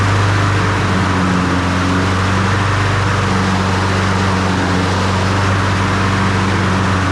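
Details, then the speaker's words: Honda HRN216VKAA push mower after drive belt replacement, with no cable adjustment needed: an even, steady engine drone with no misses, knocks or rattles. It pulls nice and strong; normal running. "Well, okay. I don't have to adjust it at all. That thing's pulling good. Pulls nice and strong."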